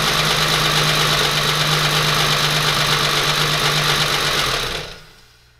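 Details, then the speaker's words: 3.6L VR6 swapped into a MK4 Jetta GLI anniversary edition, early start with no throttle pedal, no coolant and no catalytic converter: harsh, uneven clatter with a hissy edge for several seconds, then dies; owner suspects a vacuum leak, probably an EVAP hose, possibly fuel starvation. "it started but I can hear there's a vacuum leak it's probably just one of these evap poses"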